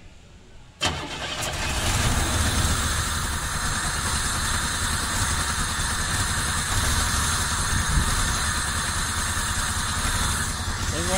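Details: 1990 Camaro RS after 12–13 years sitting, new fuel pump, timing not yet set, plug wires corrected to firing order: brief crank, catches, settles into steady even idle with no stumble; normal start and idle.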